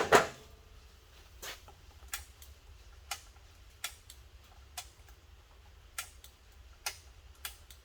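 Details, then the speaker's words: 1995 Yamaha Virago 1100 motorcycle after 12 years sitting, carbs cleaned: at key-on, sharp dry relay clicks with no fuel pump hum or whir; relay gets power but fuel pump does not run, even when tapped with a hammer. "clicking. So, the relay's coming on, so it's getting power. Oh, that's kind of a bummer. I was hoping that pump would work."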